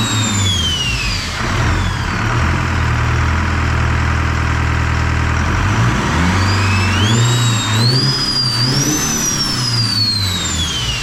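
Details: Detroit 4-53T diesel after refitting 7A77 injectors replacing failed 9G90s and replacing a loose suction hose clamp; even idle picks up cleanly through several revs and settles back without stumble or misfire; normal idle and revving.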